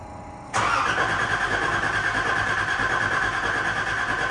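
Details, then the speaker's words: Nissan 300ZX Z31 after fuel tank, fuel pump, new battery and new clutch master and slave cylinders: starter spins steadily at about three beats a second with whirring but no firing; cranks but won't start. "all right see tell it cranked but it did not start we'll have to do some investigating"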